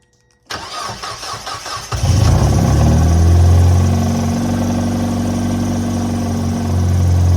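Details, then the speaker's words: Automatic Mazda Miata on a freezing day, after installing a crank saver and tensioning the belts: a 1.5-second crank, then it catches cleanly to a steady, even idle and runs fine. The crank still wobbles slightly because it was not torqued. "all right so um it starts and it runs perfectly fine"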